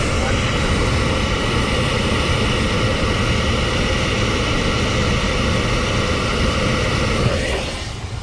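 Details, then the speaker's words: 2015 Hyundai Sonata blower motor, dead on AC/heater settings up to 3, runs only on max setting 4, also cuts out on hard right turns; owner suspects something loose. Steady loud fan roar winding down. "Turn the AC on. Nothing turns on. Let's go to 3. Nothing. Let's see if I can open this up. Let's go to 4. There it goes. Turns on."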